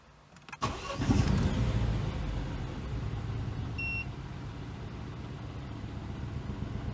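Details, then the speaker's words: Crash-damaged salvage Citroen DS3, before mount replacement: engine cranks, catches and settles into a deep droning rumble at idle carried into the cabin; engine mount toasted and pushed off, causing vibration noise inside. "and this one is being pushed off so this one should start all that vibration noise inside which I probably start up and let you hear it and then we'll do a comparison afterwards"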